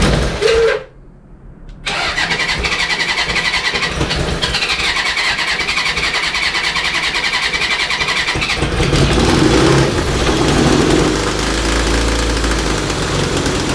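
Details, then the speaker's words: Honda CB750 DOHC 750cc engine with rebuilt top end and freed stuck valves, in a cross kart, fitted with used spark plugs: it catches and runs lumpy and uneven at low revs, then picks up. Rough running; spark plug fouling suspected. "i'd say it has some kind of uh like spark plugs fouling or something"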